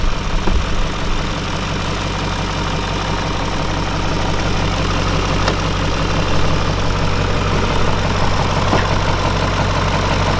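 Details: BMW E39 540i, March 2000, 280,000 km, 4.4 L V8 286 PS, slightly leaking oil: deep, steady idle with even low rumble, no knocks or misses; engine judged to sound good; normal idle.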